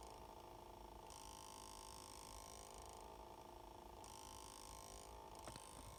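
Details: 2019 Ford Escape with engine off: steady high-pitched hum holding one pitch against quiet surroundings; humming noise after shutdown, source unidentified.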